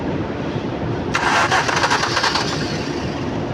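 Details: Engine cranks quickly and raggedly for about a second and a half with no fire; it won't start because water got into the fuel in the tank.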